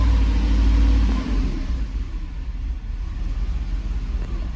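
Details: 1995 Mercedes SL500 (R129) V8 stuck in limp mode with ASR and ABS lights on, running after codes were read: rumble drops after a blip into an uneven, lumpy idle that wavers in strength; engine running rough, cause not confirmed.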